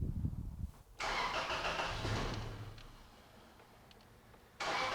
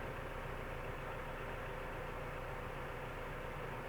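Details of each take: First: 2004 Toyota Tacoma 4-cylinder fuel-injected, hard start: engine catches, sags toward stall, restarts and surges unevenly; throttle body had to be adjusted to start it; low unstable idle, idle air control valve replaced. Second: 2004 Toyota Tacoma 4-cylinder just after replacing the sluggish idle air control valve, not yet at operating temperature: idle came right up, smooth and even with steady low rumble and no hunting or stumbling.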